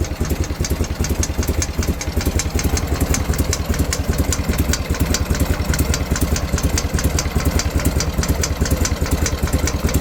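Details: BMW R51/3 boxer twin: quick, light ticking rides steadily over lumpy idle keeping time with engine, likely valve train; owner unsure of cause; top-end ticking at idle.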